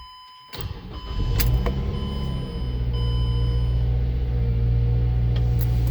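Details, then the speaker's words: Mazda 3 after replacing exhaust flex pipe with bolt-in aftermarket pipe and U-bolt clamp: cranks, catches, settles into steady low idle, no puffing or ticking from exhaust; no leaks, healthy. "Well, I just got back from that test drive, and that flex pipe sounds great. No leaks at all."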